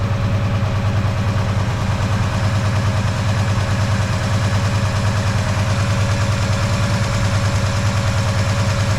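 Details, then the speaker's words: Ford 302 small-block V8 before rebuild, idling with a lumpy uneven beat; header temperature check shows one cylinder over 200 degrees cooler, a dead cylinder causing the misfire. "So just from that, we can definitely hear there's a bit of a misfire there."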